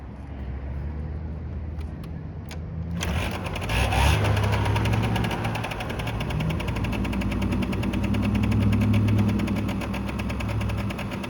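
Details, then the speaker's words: 1989 Yamaha Riva Razz 50cc (SH50) two-stroke scooter, 2,500 miles, back on the road after years off and a complete tune-up: catches after kicks into an even buzzy idle with a blip, running cleanly, slight smoke from leftover line oil. "Started up first kick. The lights work. 2,500 miles on it. Just putting away."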